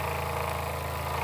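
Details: Old Jensen #35 live steam engine, double-acting, first run in decades, electric boiler heated about 10 minutes at about 100 volts, variac turned down: even, steady chuffing with no knocks or hesitation; running smoothly at a settled speed.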